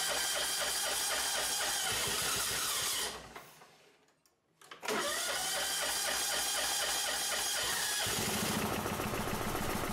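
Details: John Deere 185 Hydro riding mower, Kawasaki FC540V 4-stroke engine, unused about two years, after carb cleaning, oil, fuel filter and plug change, with Sea Foam in fuel and gas trickled into carb: cranks, catches briefly, then settles to a steady even beat; now starts.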